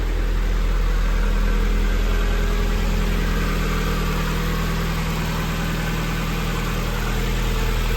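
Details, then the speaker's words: NB Mazda Miata, 124,000 miles, first hot-wired start: steady, even idle with a smooth low rumble and no knocks or misses. The engine sounds healthy. "it sounds pretty healthy"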